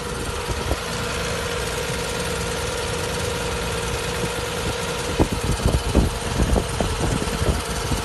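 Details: Nissan Z32 300ZX, petrol, a week after a timing belt replacement: a continuous very light grind at idle that does not change with acceleration, caused by a loose timing cover bolt bushing.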